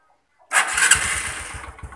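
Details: Honda Supra X125 that would not start even with a new battery, after starter circuit check: engine catches on first press and settles straight into an even, steady idle thump.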